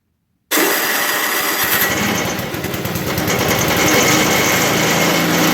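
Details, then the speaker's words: 1980 MTD SnowFlite 5-20 snowblower on a new carburetor, cold-started at about -12 after sitting outside for hours, clearing snow: engine fires instantly and holds a steady, even buzz under load, no misses or surging; healthy. "well I don't have too much bad to say about that that's no in front of the Skidoo is obviously kind of overkill for what this is meant to do but it uh plowed through it pretty good so I think it's ready to move on to its customer"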